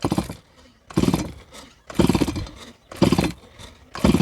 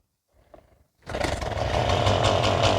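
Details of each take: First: Stihl MS170 chainsaw, made March 2008, never serviced, after cleaning a clogged spark arrestor screen: about seven strong even pull-over bursts with firm chuffs during a compression check; compression good and consistent, piston clean with some top carbon. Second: Stihl MS170 chainsaw, made March 2008, never serviced, owner complains it bogs under load: after a short pull it runs at a rough pulsing buzz, never clearing out; possibly not bogging but throttle not hooked up.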